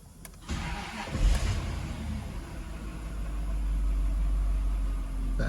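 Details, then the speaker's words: Jaguar XJR started after oil refill with 5W-30 synthetic, starter turns briefly, catches cleanly and settles to smooth even low idle with no knocks or ticking while oil circulates; normal start and idle. "Better. Gotta let all that oil circulate a little bit. I think we're good now."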